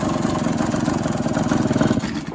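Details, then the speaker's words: Quad with new top-end gaskets, carb cleaned the day before, water found in the gear case, fresh oil being run to wash the system: quick, choppy pulsing engine note that weakens and fades out as the engine dies after shifting into second gear. "Oh, she died in second."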